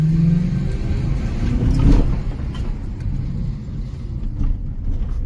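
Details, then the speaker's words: Toyota Soarer SC400 1UZ-FE V8 after a distributor cap replacement: deep burble rises smoothly on a light blip and settles back without misses; healthy, though gutless until about 2,000-3,000 rpm. "Well, I have to admit, it's gutless until about 2,000-3,000 RPM, and then it sort of kicks in."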